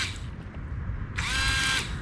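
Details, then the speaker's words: Windshield washer pump bench-tested with battery leads while in a cup of water: a short, high electric whine that cuts out. The motor spins but sprays only intermittently; clogged nozzles were suspected afterward. Intermittent washer spray. "Hear the motor spinning, but for some reason it's not. Oh, there it goes. And we know the pump's kind of working. Seems like it's kind of intermittent, because like it's spraying it sometimes."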